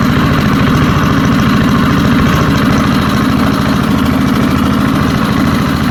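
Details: Early-1970s BF Goodrich push mower, a barn find that sat for years with a seized engine, now freed and running outdoors after carburetor diaphragm work: a steady, even, fast single-cylinder putter with no misses or knocks. Normal running.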